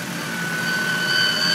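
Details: 1997 Honda Civic DX, 5-speed, 4-cylinder, at idle: a steady high-pitched whine or scream holds one pitch over a quiet idle; the owner suspects the timing belt, not confirmed.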